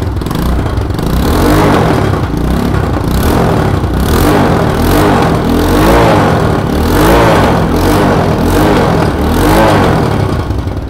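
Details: Motorcycle engine idling: uneven puffing pulses, roughly three or four a second over the idle, from an exhaust port gasket blowing at the cylinder head; exhaust pipe removal planned to fix.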